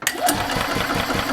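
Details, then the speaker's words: 1995 Yamaha G14 gas golf cart that wouldn't restart after stopping, now repaired: quick, even cranking several turns a second, no grinding or hesitation; normal cranking. "perfect so it cranks over that's a good thing our repair is successful"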